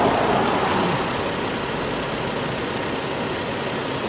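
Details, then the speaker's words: Warming engine idling (not yet at temperature, thermostat not open) under full electrical load, AC, lights and radiator fans on, after alternator output of 13.2 volts was suspected: steady, even idle hum, no stumble or misfire; normal idle. "All right, so we'll let this warm up. Boy, she's still purring like a lion in a mollisk."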